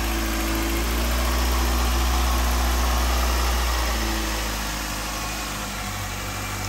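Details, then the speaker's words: 2009 Nissan Altima after replacing all four spark plugs and coils to cure shaking and rattling; smooth regular idle pulsing about four times a second, no shake, stumble or rattle, normal idle, owner believes it is fixed. "i'm like so excited right now i think we fixed it i think she's fixed guys"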